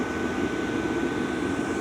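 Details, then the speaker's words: LF Bros N2 Pro diesel heater running on about level 2 of 5, smooth steady blower rush like white noise with a faint constant whistle. No fuel-pump ticking underneath, unlike other diesel heaters. Normal blower running. "There is no fuel pump noise. Huge. The blower noise I can deal with. It's like white noise."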